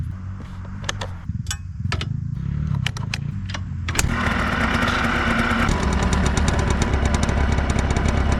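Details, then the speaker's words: 2003 Yamaha Blaster two-stroke after full rebuild (top end, new aftermarket parts), test ride after heat cycles: light ticks then crisp even buzz, no knocks or rattles, shifts nice; normal running. "all right that's a wrap on that one she runs good she shifts nice she sounds nice and tight she runs good"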